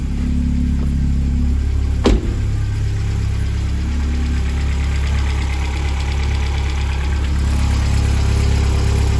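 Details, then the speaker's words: 2008 Vauxhall/Opel Astra VXR Z20LEH after timing belt, water pump, tensioner and idler replacement: engine fires straight up and settles to a steady, even idle with no ticks, rattles or squeals; sounds healthy. "You can see that struck straight up there, everything sounded nice."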